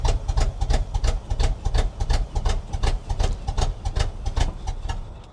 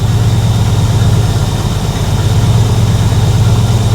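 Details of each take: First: 1976 Chevrolet K20 3/4-ton 4x4 V8 farm/plow truck, sat for years, fired right off cold: lumpy, uneven loping idle that stumbles, whole truck and engine violently shaking; rough misfire blamed on faulty carburetor, owner also suspects plugs and a vacuum leak. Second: 1976 Chevrolet K20 3/4-ton 4x4 truck, V8 revived after sitting for years; steady, even idle with no misses, likely new carb, no carb adjustments yet. Owner unsure if it was the carb or a vacuum leak.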